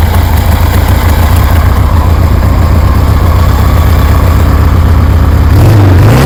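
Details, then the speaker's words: 1973 Harley Sportster V-twin with CV40 carbs installed; deep uneven potato-potato thump at fast idle, blipping up near the end, firing cleanly and sounding good. "Heat. Damn, that sounds good."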